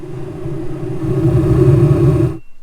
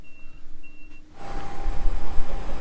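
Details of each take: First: Old Hydro Flame furnace in a vintage Barth motorhome, the second of three units tested: a steady low roar and even hum with no rattles, ticks or surging until shutoff, with bugs burning off in the exhaust. Blower and burner work normally. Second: Furnace number three of three in a Barth motorhome: beeps, then steady blower rush, no burner light-off. Blower runs but no ignition; owner suspects igniter or control board with failed capacitors.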